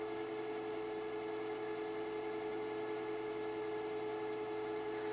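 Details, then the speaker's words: 1985 Magnavox VR8530SL01 (rebadged Panasonic) VHS VCR with linear stereo and Dolby NR, rewind cycle: steady, even motor whir with constant pitch, no slipping or surging; normal, healthy rewind. "So that's the rewind cycle."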